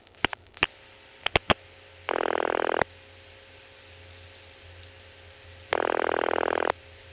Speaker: now perhaps you did notice those extra ticks now the last two digits it'll make some extra ticks and start ringing